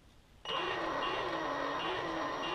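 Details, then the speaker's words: Castle Creations Sidewinder 3 sensorless ESC in SCX10 Rubicon crawler (9.5 lb, two batteries): high tinny beeping chirps as ESC fires phases at very slow crawl speed under load; noise disappears with more throttle; being replaced by sensored ESC. "the beep beep beeping that's the ESC firing the phases and it's really slow now under load here this here how noisy it gets"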